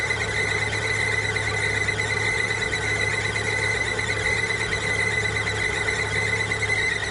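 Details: Constant high-pitched squeal over the engine, unchanging in pitch: a squealing timing belt.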